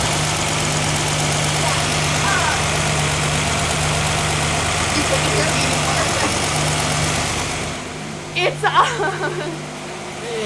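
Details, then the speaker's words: Inline six engine with Autolite 1100 carburetor at idle after start: light, fast ticking over a steady idle, believed to be valve clicking; valves were adjusted before and may need another adjustment. "so we're pretty sure that's the valve clicking sound yeah because you can hear it coming from right"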